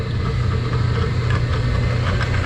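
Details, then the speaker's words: Laars Pennant commercial hot-water boiler not heating, water hit 200°F against a 190°F limit with no flow: the circulator motor gives a steady low hum and spins freely but the pump does not turn, coupling suspected loose. "you can hear this pump it's trying to do something but it's not spinning this thing is either clogged or it's done"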